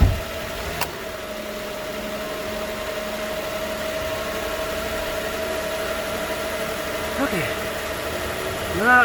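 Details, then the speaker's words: 2013 Nissan Pathfinder, 265k miles, first start after new AC clutch and serpentine belt, checking tensioner: smooth, steady idle hum, even tone, no squeal, chirp or knock from belt drive; normal. "so you're gonna have to start and run here to make sure everything everything's fine let's see what happened"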